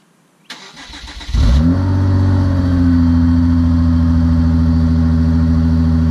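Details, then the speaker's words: Rebuilt wrecked Hyundai Genesis, manual transmission, cold start without radiator fitted. Cranking bursts catch into a firm start, then a steady, even high idle with no knocks or rattles. Sounds healthy. "Alright, so there you have it. That's the sound of the beast."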